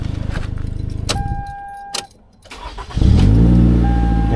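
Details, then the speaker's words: 2011 Toyota Camry restart with P0335 complaint: brief crank, catches at once and settles into smooth steady idle; starts right up, earlier no-start possibly a little flooding. "it starts right up. There is a possibility that maybe it got a little flooded."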